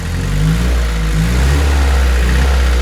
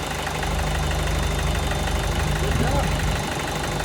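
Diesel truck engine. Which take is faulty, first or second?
second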